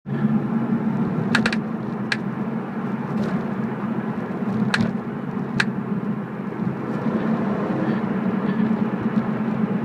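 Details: BMW E46 while driving: sharp irregular clicks from the rear every second or two over road rumble; something loose, cause unclear.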